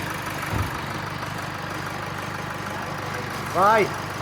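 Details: Rebuilt Duramax 2.8 16v turbo diesel from a 2018 GM S10, run after final assembly: even diesel idle with a steady low clatter and no knocks or misses; healthy and smooth.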